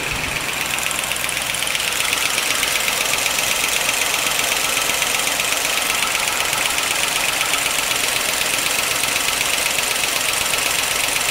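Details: 1955 Pontiac Chieftain on fresh 10W-40 with Marvel Mystery Oil, always loud and clackety: a sharp, even tick about four times a second over a steady idle. With the valve cover off it is gross inside, but a pushrod was not clogged; valvetrain clatter, cause unconfirmed.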